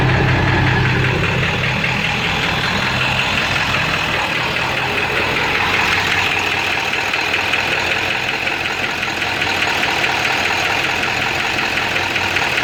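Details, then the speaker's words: Ford 7.3 diesel with no power, switched from high idle to street idle, puffing blue smoke smelling of raw diesel: rough clatter with an irregular knock about four a second that sounds like a rod knock; EGTs are good and the cause is unconfirmed. "Making a totally different noise. Sound like a rod knocking."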